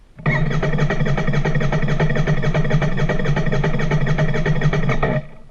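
About five seconds of even starter cranking at roughly four pulses a second, then it stops; the engine never catches.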